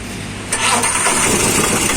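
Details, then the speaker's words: Mahindra Alfa DX BS4 diesel auto-rickshaw: on starting it settles into a harsh, clattery run with a loud knocking rattle from the head/top end; cause not yet known; abnormal knocking noise on start. "तो दोस्तों यह Mahindra alpha deluxe बीएस-4 गाड़ी app है और इस गाड़ी में एक समस्या हुई है जैसे भी हम स्टार्ट करते हैं इसके साइड से कोई आवाज आ रही है"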